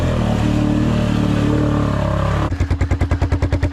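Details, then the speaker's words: Hard revving cuts off abruptly into regular heavy clunking at about five per second as the drive axle snaps under load. The machine also has a suspected fuel problem, running for a second and then cutting off. "Oh no, the axle! Well, I ended up breaking the customer's axle, which he told me to take it out."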